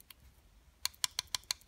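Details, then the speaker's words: Honda GL1000 engine stopped at top dead centre of cylinder 1's compression stroke. Rocking the intake and exhaust rockers by hand gives a few sharp, light metallic taps. This is the normal clearance between adjuster and valve stem before valve adjustment. "hear that that's this tap it adjustment battling cuz there's a little bit of clearance between this adjuster and the tip of this valve stem right here okay down here on the exhaust side same thing okay so both of those are wiggling around"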